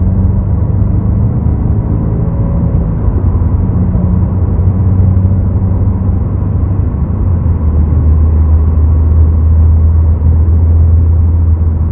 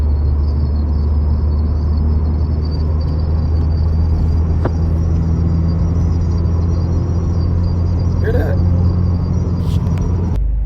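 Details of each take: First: 2022 Subaru WRX with STI-style wing after installing a Noble Whistle B-Gone kit, driving: only low road and tyre rumble, no whistling, at most a tiny residual noise; no wind whistle. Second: 2022+ Subaru WRX with STI-style rear wing, before whistle-kit install: thin steady high whistle over road rumble above about 45–50 mph, from air flowing over the wing.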